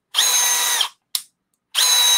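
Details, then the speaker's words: Milwaukee M12 FUEL gen 3 subcompact drill driver with 2.5Ah battery, driving under load: two short bursts of harsh high whirring with rough edge; seemed caught between gears, grinding, cause unclear. "oh we fixed it caught between gears I have no idea but uh it was super angry for a second oh it's still kind of doing it I can hear it"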